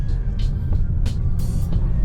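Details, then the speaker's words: Lexus with a lack of power while climbing hills; running engine with sharp, irregular clicking from one corner, source not yet identified and suspension not yet checked; clicking noise. "I don't know if y'all can hear in the video, you can hear some clicking and stuff like that."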